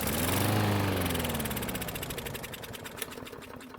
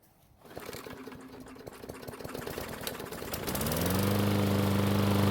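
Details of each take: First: Craftsman lawn mower that wouldn't start; the owner suspected no spark. After priming the engine with fuel, it fires and runs a moment, then its beat slows to about four a second and it coasts to a stop. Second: Craftsman lawn mower after a carburetor rebuild and fuel refill: silence and a pull, then the small engine catches near 3.5 seconds and settles into a steady, even run; running smoothly now.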